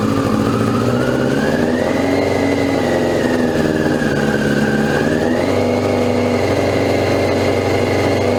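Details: 2002 Yamaha YZF R6 after 6 years sitting, first start on fresh gas from an electric fuel pump: uneven, lumpy running, tone wandering as revs hunt. Fuel leak; sticking float suspected, then an untightened carburetor drain screw found.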